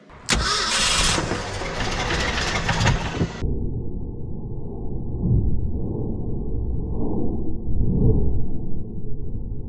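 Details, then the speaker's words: 1966 Ford F-250 factory 4x4 being revived, cranked on a snowy cold day with slow, draggy starter: sharp catch, few seconds of ragged firing on poured fuel, then low uneven chug with no steady idle; engine running only on poured fuel. "uhoh starter is getting slow and draggy let's give her a little more amps"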